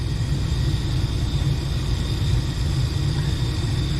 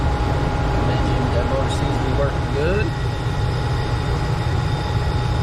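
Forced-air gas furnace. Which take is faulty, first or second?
first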